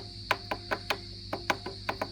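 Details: Tapping test on an old Fender Princeton Reverb brought in for squealing and feedback, after swapping the reverb-receive/tremolo tube: about a dozen dry taps, four or five a second, each dying at once with no ringing or howl, so no tube microphonics.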